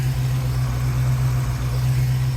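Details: Fox body Mustang before a 10-12 mile drive home: steady low idle hum holding an even note, no dips or stumbles, no threat of stalling; healthy idle.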